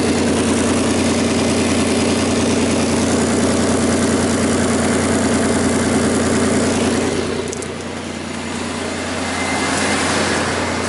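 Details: 2001 Audi A4 Quattro 2.8 L V6, loud cold idle with raspy, sharp puffing in time with firing pulses, before repair; exhaust leak from a blown flex pipe upstream of the oxygen sensor, setting fuel trim codes.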